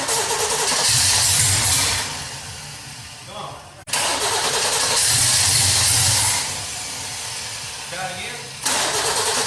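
The V8 cranks and fires twice, revs up strong, then settles to a steady even rumble with no misses after the repairs.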